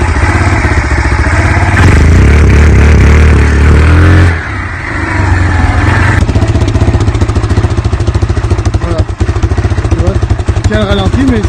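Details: Yamaha Grizzly 700 ATV, 2007, one of the first fuel-injected models: single-cylinder thump surges and sags, beat wandering and dropping out instead of holding steady; irregular running shown before the machine arrived, cause not yet found.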